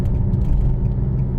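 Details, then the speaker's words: Deep, steady droning rumble from the front end of a moving CVT car, a bad wheel bearing; louder when steering left, clearing up a little when steering right; a misfire is also suspected. "all right so we get to a safe Point here you can hear that worring noise in the in the front end oh it gets much worse on the left"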